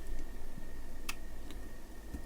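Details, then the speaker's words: Siglent SDM3065X bench multimeter in dual-measurement mode, alternating between DC volts and a second reading; sharp, light relay clicks about every half second as it switches, normal behaviour like a Fluke 45. "this, I also can do the same thing, but it's switching from one to the other, as you can hear."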